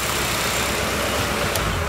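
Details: V8 with EZ-EFI on an Edelbrock intake and an old throttle body drilled and tapped for an idle air control motor. Steady, even idle with a smooth low rumble, no misses, surges or knocks: idle held well.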